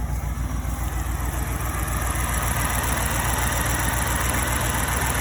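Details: BMW 645ci at idle after alternator replacement, voltage rising from 12.3 V to about 14.3 V: smooth steady idle with even low pulse, no knocks, squeals or misses; normal idle.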